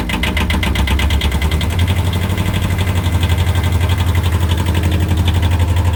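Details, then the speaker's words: 1973–77 Kubota B6000 4WD tractor with a 2-cylinder ZL600 12.5 hp diesel, started right away after glow plugs, unrun since yesterday. Steady chug about four beats a second, with a fading whir from the electric clutch slowing down. Normal healthy idle. "So as you can see, it runs pretty well. That sound you're hearing is the electric clutch slowing down."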